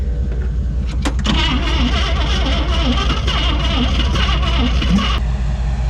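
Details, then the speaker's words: 1959 AMC Rambler Ambassador V8, parked in a field since 1982, first start: rough, uneven chuffing with lumpy firing and missing beats; compression test found three very low cylinders, suspected sticky valves or rings. "i did a compression test there's three low cylinders they're really low but it should still fire off and run and it'll probably clear that out the valve sticky rings"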